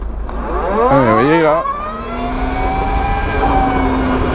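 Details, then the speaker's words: 2021 Energica EGO+ RS electric motorcycle (145 hp, 215 Nm, 21.5 kWh battery) riding in town: steady whistle climbing slowly with speed, siren passing early; ordinary chain final-drive whine, normal. "alors vous entendez un sifflement en fait c'est essentiellement la chaîne on a une transmission par chaîne alors ça peut être un petit peu fatigant mais ça permet de se faire entendre des autres automobilistes en ville"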